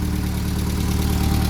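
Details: Classic VW Scirocco Scala after sitting 6 years, first start: deep, even idle with steady unchanging beat, no knocks or misses; running smoothly on its own, some oil smoke smelled.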